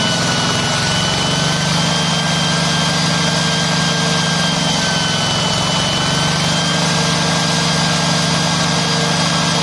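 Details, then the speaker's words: Yanmar TF105LM walk-behind tractor diesel revs up by itself and holds a loud, steady high rev that won't drop to idle or shut off (valve must be lifted to stop it). Governor stuck or worn, before the fix. "ไม่ไม่ใช่เครื่องรวมนะครับอาการนี้อาการของกาวานาค้างหรือกาวานาสึกนะครับ"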